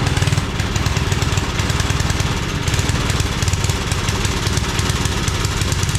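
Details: Homemade wood splitter with 5 hp Briggs single-cylinder engine, restarted without choke after adding more fuel (it had seemed to be running out): steady low, even thumping beat holds without surging or dying; normal running.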